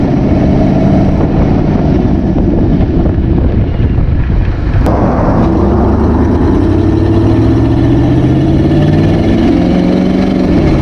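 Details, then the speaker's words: 1959 AMC Rambler 3-speed automatic, sat 40 years, just after adding Seafoam Trans Tune, filter not yet changed: engine drone climbs and holds several seconds before easing down, still hanging in gear and upshifting late; no improvement yet. "Well, I'm not noticing much of a difference, so I'll keep driving it around, and then I'll go ahead and do the transmission flush, put new fluid in it, new filter, and we'll see what it does."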